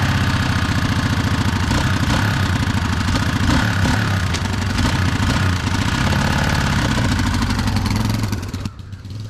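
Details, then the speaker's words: 1987 Honda XR250R dirt bike, serviced after sitting over winter: fast, busy idle that never settles to a slow tickover; idle speed set too high. "aha all right so that worked good but it sounds like it's idling a little high so you want to go in"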